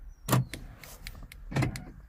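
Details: 2006 Volkswagen Jetta after cutting and programming a new flip key: remote press gives two short, firm clunks about 1.25 s apart, each with a quick whirr; door lock actuators working normally.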